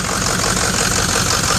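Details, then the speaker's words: 2006 Ford XLT diesel truck idling: light metallic jingle over the front clatter, steady with idle; jingling at idle, possibly the fan clutch, not confirmed. "All right, I'm hearing a little bit of jingling coming from the front, which"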